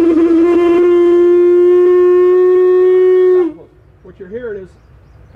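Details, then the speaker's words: Nathan M series locomotive air horn being voiced: a steady, reedy note that buzzes instead of ringing clean because the diaphragm is loose in the head and not seating properly. "you're hearing the diaphragm just flopping around loose in the head here it's not it's not seating itself properly to make a clean note"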